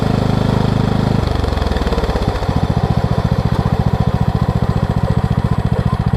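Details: Craftsman LT2000 lawn tractor, 2003 model year, after freeing a frozen deck spindle and replacing belts: engine pitch drops as blades engage, then holds a steady, even beat; deck and engine running smoothly, belts lining up; normal running with blades engaged.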